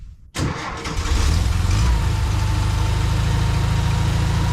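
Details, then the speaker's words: 1952 VW barn door ambulance engine with a high idle, after adding an extra fuel pump gasket to cut fuel pressure: it catches and stays at a fast, hunting idle with no change; a damaged idle mixture screw bore in the carburetor is suspected. "yeah unfortunately no real change there you can kind of hear it hunting too so I think that idle mixture screw I think the bore inside's damaged"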